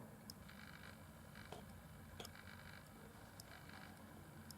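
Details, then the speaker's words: HP Photosmart M22 compact digital camera, reed switch in glass tube acting as on-off switch under lens cover: faint sharp clicks about a second apart as the cover's magnet passes and closes the switch; normal reed switch click. "that click sound as I move. So that's the click sound produced by that reed switch. So basically this one has a small magnet."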